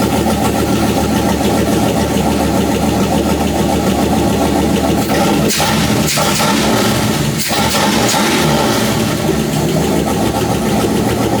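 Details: Chrysler 318 V8 from a Grand Cherokee, swapped into a Jeep TJ with AW4 transmission, first run with no gauges: steady idle with a light fast ticking that follows engine speed, suspected noisy hydraulic lifter.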